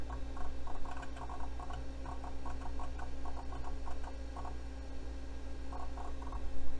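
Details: Old vintage computer booting Windows 3.1 on its hard drive. Quick clustered ticking chatter in bursts over a steady hum: normal hard drive seek noise.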